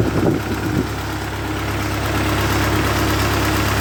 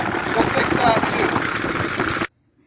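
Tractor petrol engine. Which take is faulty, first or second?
second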